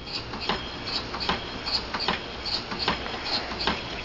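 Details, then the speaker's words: Homemade steam engine of off-the-shelf parts running on about 8 psi of compressed air (no boiler yet): crisp air puffs at an even beat, each exhaust chuff sharp and alike, running smoothly. "kind of neat It Ain't Nothing But Machinery it's all it is you could probably make a rrap song to this and this is probably running on about 8 lbs of air"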